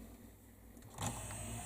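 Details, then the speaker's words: Memorex CD 5400 CD player, top off, after freeing sticking tray: short, smooth motor whir, tray going straight in and out with no catch or stutter; drive belt apparently needs no adjustment. "there's no sticking here now it's just straight in and out"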